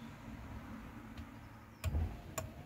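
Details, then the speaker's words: Rover 45 wiper relay after cleaning and rebuilding the wiper motor: two crisp clicks about half a second apart, on then off, over a quiet cabin, also on wash-wipe; the relay is now switching normally, though it failed earlier and Pektron unit issues were suspected. "yeah two clicks two clicks on and off what the hell and even better still turn that off wash wipe oh it works on that as well what the hell"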